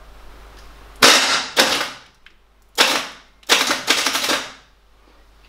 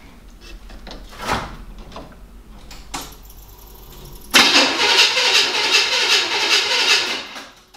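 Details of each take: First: 1975 Chevy K5 Blazer on a fresh battery after sitting 12–13 years. Harsh metallic starter clatter in bursts and the engine never catches; the seller had said the starter was faulty. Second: 1975 Chevy K5 Blazer that sat 12-13 years, first try with a newly installed starter: a few quiet clicks, then strong, steady, brisk cranking. The old starter is confirmed as the only starter problem.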